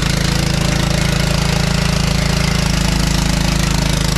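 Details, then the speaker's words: John Deere LT155 riding mower single-cylinder engine: fast, hard regular thump about four per second with heavy shaking; engine loose because mounting bolts are missing. "so like i said the other day i came out and started this thing up and the engine was all wiggling around so i had to quickly shut it off"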